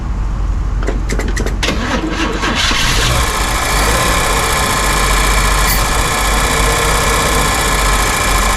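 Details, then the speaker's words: 1955 Chevy with new exhaust, running on fuel squirted into the carburetor because the tank sending unit is inoperative, temperature gauge just under half: cranks, catches, then a rough idle with a steady high buzz; owner suspects something hitting the fan, cause unknown. "Okay, what is that noise? Something's hitting the fan."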